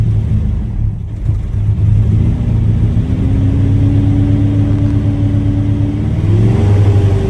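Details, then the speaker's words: Chevy S10 with recently replaced fuel injectors and bad valves: lumpy, uneven low rumble sagging and surging as the throttle is feathered, barely staying running; weak fuel pump at about 41–47 psi, injectors also suspected. "Seems like a mixture from bad fuel pump to fuel injectors, because I'm feathering the throttle while I'm doing this, and it's just, it almost seems like it doesn't want to stay running."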